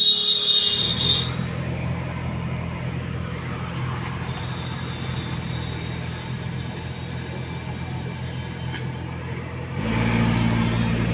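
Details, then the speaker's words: Car AC blower on speed 4 (not on 3): steady whooshing roar with faint high whistle persisting after blower motor cleaned; airflow pushing against closed vents causes the noise. "अब ये क्या चीज़ का sound है, यानी blower motor हम साफ कर लिए हैं फिर भी साउंड आ रहा है, आवाज़ सुन सकते हैं। और ये आवाज़ तीन पे नहीं आता है, चार पे आता है।"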